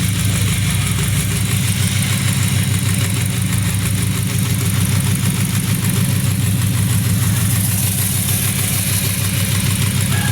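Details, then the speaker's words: Toyota Vios with check engine light after fuel pump and ECU fuse issues: low, uneven stumbling idle with irregular dropped pulses, a misfire traced to a faulty ignition coil on cylinder three. "Umaandar na siya pero may check engine. Tingnan natin kung anong check engine yan. Oh may isa ignition coil"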